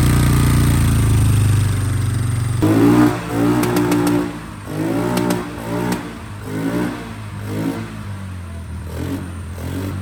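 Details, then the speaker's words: Fire-damaged 2006 Polaris 500 ATV, stored 2 years, running after a correct replacement wiring harness fixed the fuel pump power feed: engine catches, revs rise and fall in short blips, then settles into a steady idle. Healthy running; no engine issue. "we finally we got a wiring and we fired this thing up the run's good so there is no issue with the engine"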